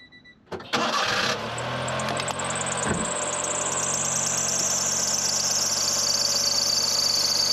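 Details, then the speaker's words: Honda Beat, heard with the plastic cover removed below the engine: it cranks and catches, then a high, steady squeal rides over the idle; the alternator belt feels slack and slipping. "I can't really tell by looking at it, but it feels like it's slipping a little and it's sagging."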